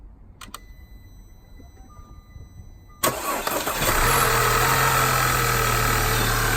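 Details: Audi A4 2.0 (2009–2017) after alternator replacement and reconnecting the negative battery cable: quiet ticks, a quick crank, then a steady, even idle. The engine starts and runs normally.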